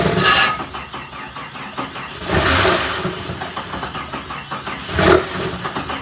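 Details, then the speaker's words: Jeep Comanche MJ after sitting a long time, first start attempt on starter fluid with original ECU: cranking with uneven bursts as it catches and dies, plus a loose beady rattle like beads dropped in a jar; engine internal problem suspected. "all right so we are hearing it fire over but unfortunately we can't get it to stay running on the starter fluid I don't know if that's going to be uh something related with the engine currently and you guys are hearing that little like what sounds to be like a bunch of beads being dropped inside of a jar"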